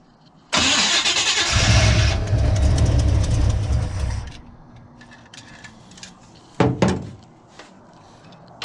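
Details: Big-block Chevy V8 in a truck, not run in years, timing untouched, fuel poured into the carburettor: brief crank, then it fires right up into a strong, deep, even rumble for a few seconds before dropping off.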